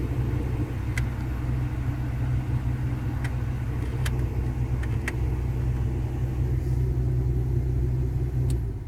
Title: Vw Golf IV Шум от парното/Strange noise of steam